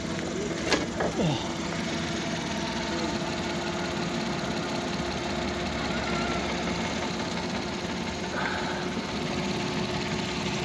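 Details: 2020 Suzuki DA63T engine that was shaking badly at idle, after fitting a new part; steady smooth idle with an even low hum and no shake or uneven beat; running cleanly, though slight vibration still noted.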